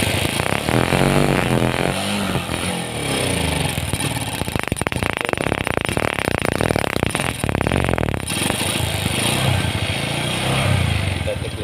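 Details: Carbureted Honda Supra X 125 that is hard to start and stutters on throttle: revs break up through the middle. The ignition was checked normal with a new spark plug, and the carburetor's main jet was found dislodged.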